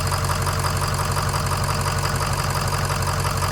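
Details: Ford 6.0 Powerstroke diesel idling with the oil fill cap off for a blow-by check: even clatter at about three beats a second with no chuffing from the filler. Healthy idle, blow-by acceptable.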